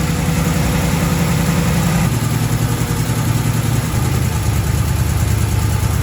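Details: 1936 Chevy coupe, 350 small-block V8, HEI distributor, pre-warmed: deep lumpy burble settling slightly lower and steady, no ticks or misses; healthy idle.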